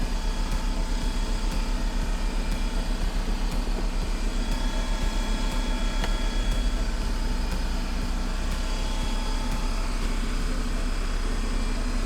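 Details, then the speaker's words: 2021 Ford F-150 PowerBoost put into high idle, about 1200 rpm, to see if charging voltage rises above 14.2 V (usually 14.6): smooth even raised-idle hum with no knocks or misses; normal high idle. "high idle pulls it up to about 1200 rpm"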